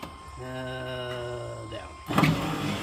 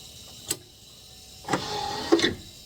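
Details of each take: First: C3 Corvette driver's power window: a brief, steady, smooth electric whir from the window motor, which is confirmed good. The wiring is fine too; the fault is the switch, and the dry, rusty regulator is to be lubricated with WD-40. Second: 43-year-old C3 Corvette power window with the switch already fixed and the wire confirmed good: short strained motor hum under a second between clicks, window not going down; fault traced to the door wiring plug, to be cleaned.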